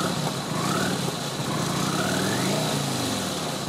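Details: Kawasaki VN900 Classic V-twin after charging-system work, in garage: steady idle with smooth throttle blips rising and falling cleanly, no misses or knocks; 13-14 volts measured, alternator and regulator working perfectly; normal idle and revving.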